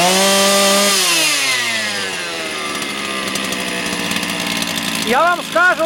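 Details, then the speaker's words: Motor Sich 270 chainsaw with new ignition coil, carburetor cleaned and set two full turns on each screw: high buzzy two-stroke drops from a rev to an even idle that holds without hunting, a small blip near the end; running clean. "вгадав навіть не буду її дорегульовувати дав по два повних оберта по 360 градусів бачите холостий тримає стабільно нічого не гуляє"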